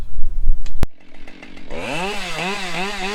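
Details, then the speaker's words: Husqvarna 572 XP G chainsaw with Cannon bar and new hand-filed Oregon PowerCut 73LG68 chain (7/32 file, drags lowered): engine revs and holds under load with a slight wavering jitter as the full bar buries in the log; chain biting well. "you can actually hear that saw. It's got a slight little jitter to it, so it's biting really good."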